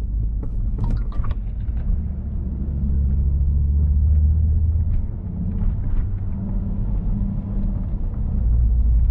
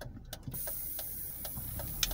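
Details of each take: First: Volvo P2-platform car (V70/S60/S80/XC70/XC90) driving after the brake servo/booster seal was replaced: low steady engine and road rumble with no more snake-like hiss near the brake pedal when braking. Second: Volvo P2-platform car (V70/S60/S80/XC70/XC90) with a thin, steady, snake-like hiss and light clicks near the brake pedal, intermittent and sometimes louder: a brake servo/booster seal vacuum leak before seal replacement.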